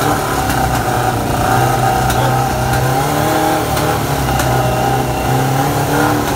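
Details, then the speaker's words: Suzuki GSX600F (Redhead) four-cylinder project bike with cold-start trouble; brake-cleaner spray had flooded the plugs, which were cleaned and refitted, then it catches and runs at a busy, slightly uneven fast idle with throttle blips: hard starting from fouled plugs. "And I did try to spray it, but it seems definitely to overflow the plugs. So I'm just gonna clean them and put back in the bike and let's see what's gonna be."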